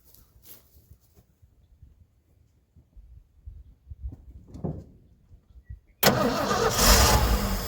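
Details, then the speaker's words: 1980 Ford ramp truck, 351M V8, sat about 25 years: slow cranking, then it catches and roars unevenly for seconds on brake-clean starting fluid with choke. Oil pressure reached 70 and it smokes; owner suspects rings stuck from sitting. "It smokes. So the rings are probably stuck from sitting. And that was running off brake clean, so that's no"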